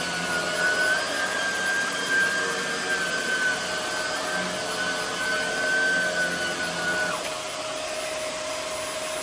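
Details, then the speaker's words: Hoover WindTunnel Air fitted with a new Shark rotator motor, replacing an old motor that sounded poor. A smooth, even roar with a steady high whine, no rattle or surging. The vacuum motor runs healthy. "So yeah, this thing has a Shark rotator motor."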